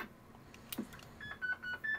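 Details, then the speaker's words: Homebrew vintage 7-tone CB roger beep, previously repaired faulty 4017-type chip, tested into radio: short stepped upper tones sounding thin and strange versus the crisp original; distorted because the decade counter was unpowered. "so let's try it to my radio so it does sound a bit strange not sure what's going on there"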